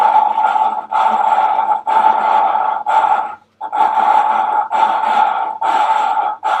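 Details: VW T4 2.5 TDI ACV cylinder head: rhythmic gritty rasping in strokes just under one second each, with brief pauses, from hand-lapping a valve against its seat with grinding paste.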